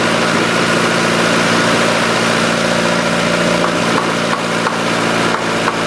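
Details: 1990 Honda CRX DX holding a steady, quick idle around 1750 rpm (floor about 1500) without hunting down; a vacuum leak, possibly at the brake booster, is suspected of causing the fast idle and bad gas mileage.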